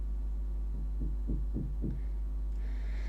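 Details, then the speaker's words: Faulty power inverter on a bench supply at 12 V: soft ticking about three or four times a second as it tries to start but draws almost no current, then nothing at max current. Cause suspected, not confirmed. "zero yes you can hear ticking noise okay and then when i'm maxing it out nothing"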